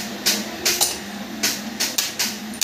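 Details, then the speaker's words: Mitsubishi Montero that won't start, starter tested with a jumper to ground: sharp, irregular clicks with no motor spin; the starter solenoid is faulty. "Sira talaga sira talaga ung isa lang muna yan"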